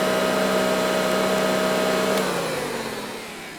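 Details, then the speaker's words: Early-1950s Eureka two-speed automatic upright vacuum, running on low speed: a steady, smooth motor hum with an even whir that winds down cleanly when switched off, a "very sweet purr"; a healthy motor. "But as you hear, it's got a very sweet purr to it. Just very well proportioned."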